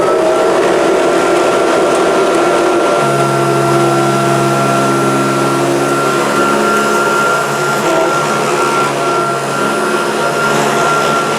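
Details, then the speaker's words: Kirby upright vacuum: steady motor whine with a fine, continuous rattle riding over it, not normal; owner suspects the fan or an incorrectly fitted agitator, unconfirmed. "it's got a noise, isn't it? That's not right. And I think that could be down to that fan, perhaps, or I haven't put the agitator in correctly."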